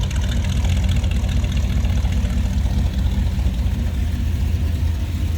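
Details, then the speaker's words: 1963 Chevrolet Nova hardtop, 350 V8 with Edelbrock intake and Holley carb, heard from behind at idle: deep, even exhaust burble with steady lumpy pulse, no misses or knocks. Healthy idle. "Nice sounding car. Slip around to the back so you hear it run."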